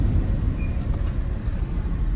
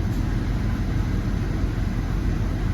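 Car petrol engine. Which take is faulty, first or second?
first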